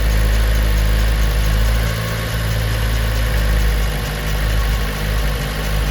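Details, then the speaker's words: 2010 Chevy Monza with MAP P0106 and TPS P0122/P1122 codes: the engine sits at a raised, even idle with a steady low rumble even though the TPS measures 1.0 V and seems to work. High idle from a faulty throttle position sensor. "parece que está trabajando bien no ahorita reviso pero es un hecho que el motor está acelerado"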